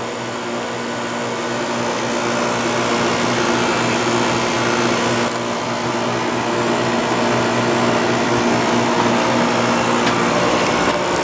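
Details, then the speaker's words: Window air conditioner with a heater in front, with worn rubber compressor mounts: a loud, steady drone with a strong low buzz over the fan rush, as vibration passes into the case. It still cools ice cold but uses a lot of power. "the rubber compressor mounts are a little worn out so it transfers a lot of vibration from the compressor to the case but it works very well"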